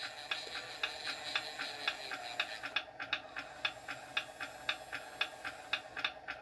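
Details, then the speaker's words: RC 1/16 custom Sherman tank: crisp regular clicks, about two a second, from the gun elevation gearbox; the slip clutch slipping at maximum elevation travel, as designed. "elevation is up and down if you hear the clicking that's the clutch that means it's at the maximum"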